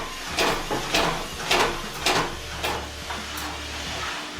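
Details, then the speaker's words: Washing machine with heavy thumps about twice a second as the tub assembly moves in the cabinet and bangs it on worn shock absorbers, often with the machine walking. "vous allez avoir l'ensemble custombre qui est ici qui va se balader dans le châssis du lave-linge et ça va faire des bruits ça va taper"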